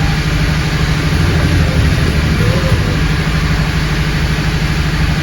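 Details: Honda Accord with check-engine light and code P0302 (cylinder 2 misfire): petrol engine idles with low, uneven beat stumbling about three times a second; rough idle from suspected misfire.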